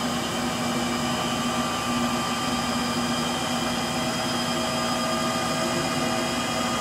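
Steady whirring roar through the spin with a constant droning hum underneath, no thumps; sounds like worn motor bearings.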